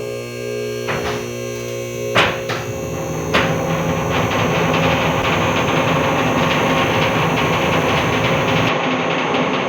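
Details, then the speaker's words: Four-post BendPak lift raising a 1980 C3 Corvette: a steady, loud motor hum with a few sharp clunks. Vehicle lift noise that came on suddenly; owner suspects the lift needs greasing. "So what it sounds like is the lift needs to be greased bendpak. It's funny how quickly this came on. It was not sounding like this at all. Hope my neighbors don't bother too much. Really loud."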